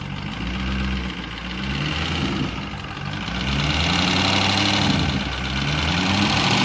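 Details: LS engine with JB Weld in place of the head gasket, idling after warm-up: sharp tapping about three times a second over a rough idle, pistons contacting the cylinder head from too little clearance; has compression, not getting better or worse.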